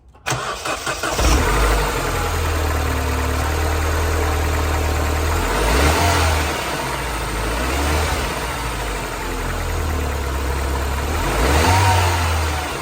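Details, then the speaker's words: Mini R56, cold start after replacing ignition coils (stock or Okada plasma coils), first run of the day: brief crank, catches at once, smooth idle with light revs, no misfire. "okay so you've just heard the engine start off gave it a little bit of a rev not too much because the engine's cold i haven't actually ran the car today and you could hear there was no misfiring everything seemed happy"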